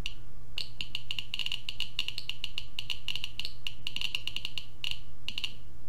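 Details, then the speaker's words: Sharp fast irregular ticks, about ten a second, over a faint hum from a Geiger-Müller counter board with Arduino, radioactive source next to the tube for about 30 seconds; peaks around 600 CPM, almost 1 µSv/h, baseline about 40-50 CPM. "so you see that we had some huge Peaks here like 600 CPM and almost one microsieverts per hour and that is because of the source"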